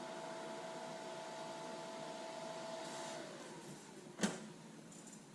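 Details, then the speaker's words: Lincoln Electric Aspect 230 AC/DC water-cooled TIG welder after TIG welding: the on-demand cooling fan's soft whine drops smoothly in pitch and fades out. The fan runs only when the unit is hot, and this is a normal spin-down. "So there you can hear the on-demand fan just kick down, and you definitely know when it's on, but it's nice and quiet when it shuts off."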